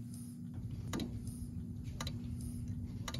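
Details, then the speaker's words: Repaired Durant 5882 counter driven by a signal generator: sharp relay clicks about once a second over a low steady hum as the counter resets at its 2,000-count preset; internal relay switching normally. "now you can hear the relay clicking because we have it preset to reset at 2 000 counts"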